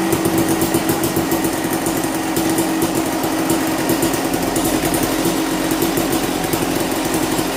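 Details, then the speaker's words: 1998 Kawasaki KX250 two-stroke after no-start repair (low spark found), fresh 40:1 mix, kick-started: crisp rapid crackle holding a steady idle without racing or dying; running normally. "Well, she's running, everything's working."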